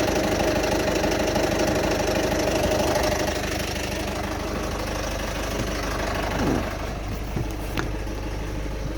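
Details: 2008 Citroen Berlingo 1.6 HDi diesel, given timing belt, water pump, new turbo, EGR valve and fuel sensor, no fault codes: rough uneven idle with loud regular knocking clatter about three times a second; cause unknown.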